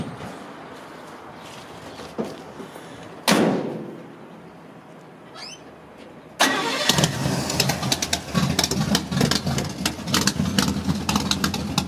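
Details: 1937 GMC pickup, rebuilt 283 small-block Chevy with headers, electronic ignition, Edelbrock XC8 dual-quad manifold with four Holley 94 carbs, 3-speed manual: after handling noise the V8 catches quickly and settles into a steady low-rumble idle. A healthy start.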